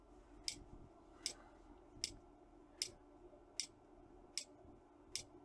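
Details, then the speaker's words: Trojan treadmill DCMD67 control board powered on the bench: sharp, regular clicks, about 77 a minute, as the safety relay chatters in and out; known clicking relay fault. "safety relay clicking in and out. Okay, we'll come back to this board."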